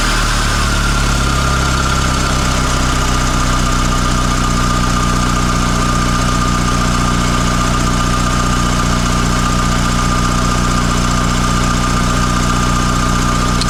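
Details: Mitsubishi Lancer CE two-door coupe after repairs: even, steady idle with a faint constant whine, no stumbling or hunting; fast idle settles down, sounding much better; owner asks what the noise is. Normal idle.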